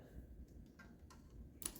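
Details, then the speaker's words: 1977-built 10 hp Briggs & Stratton on a 1978 Yardman Snowbird snowblower, long parked: 12 V reaches the starter solenoid, which gives a single sharp click but the engine never cranks; solenoid bench-tested fine, fault traced to a bad ground. "That's as far as we're getting. You hear it click, but it won't turn the engine or anything."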